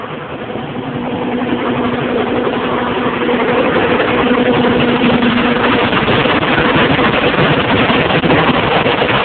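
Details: John Deere 7220 tractor, about 2400 hours, 6.8L PowerTech diesel, PowerQuad transmission, ULSD fuel: heavy drone with an uneven stumble about three times a second. Injectors and compression tested OK; the faulty injection pump was replaced under warranty.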